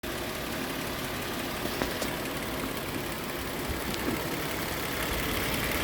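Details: Toyota 4.0 V6 from a Tacoma swapped into a 1991 Hilux, lean misfire corrected: low, even hum with faint ticks and no stumbles or pops; runs clean now.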